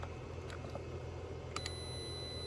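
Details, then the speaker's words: DeWalt 1400 A jump starter box after its warning buzzer was deliberately destroyed: only faint, thin chirps come through over the room hum, so it still beeps but far quieter than before. "oh that's much more pleasant it actually still beeps but not very loud"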